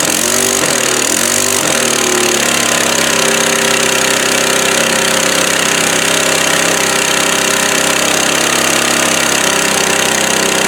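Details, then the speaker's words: 22-inch Craftsman mower, 6.25 hp, about 1998, running harsh and uneven with sharp irregular pops and crackles; the carburetor also won't stay on. "The other motor is definitely good, but all the popping and cracking you hear going on is where somebody twisted off the exhaust bolt, the upper one, and twisted it off inside there."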